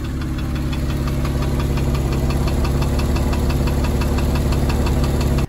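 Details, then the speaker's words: 2002 Porsche 911 996 Targa, M96 flat-six with misfire and rough running: fast, fairly even metallic ticking over a lumpy low idle, from Variocam solenoids stuck in the wrong position putting the cam on a very aggressive profile. "it suggested that the problems i was having was as a result of these variocam solenoids stuck in a position they shouldn't have been at the wrong time and that made perfect sense you know that metallic noise i was talking about"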